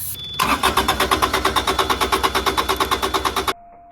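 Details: Carrier Supra 850 reefer with Kubota D722 diesel, shutoff solenoid pulling, throttle wide open: steady starter cranking about three beats a second for three seconds, never catching; traced to a gummed-up injection pump, later cleaned without parts.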